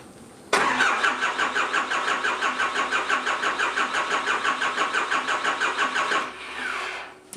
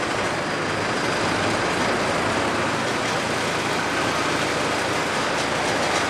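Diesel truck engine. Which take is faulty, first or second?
first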